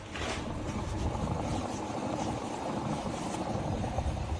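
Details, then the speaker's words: Truck with a rumbling, growling noise and vibration under the driver's seat, worst at 60 mph; a steady, rough low rumble as the wheel turns from a front hub bearing that developed play only a month after installation. "you can hear that's the rumbling bearing and it's rumbling and it only took a month for it to happen"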